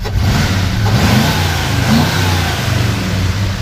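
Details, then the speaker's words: 1968 Ford Highboy F250 4x4 survivor with dual exhaust, after tune-up: revved a little, the deep, smooth rumble climbs and settles evenly, with no ticks or rattles underneath; sounds healthy. "all sounds sounds awesome so you see there's no tics no rattles no nothing underneath there so nice truck"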